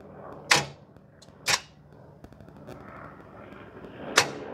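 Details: 2005 Chevrolet van, engine believed 4.3, which died while driving from oil starvation; battery already replaced; key turn gives only single sharp clunks a second or more apart with no cranking, as the engine is seized.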